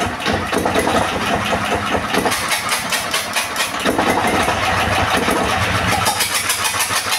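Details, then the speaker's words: Second-hand S1115 single-cylinder diesel that would not start, now serviced: even, steady chug settling into a regular idle with no misses or knocks. Oil indicator rises well; the engine is fit for use again. Normal running. "Oke sobat diesel setelah kita coba hidupkan dan kita dengar tadi hasilnya sepertinya tidak ada kendala lagi ya pada mesin diesel ini"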